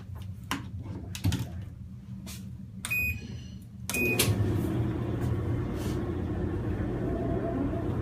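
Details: Kenmore dryer, model 110.77082600 (Whirlpool-built), about ten years old, after replacing the drive belt and idler pulley for screeching: a few handling clicks, then a steady low drum hum with no squeal or thumping, running normally.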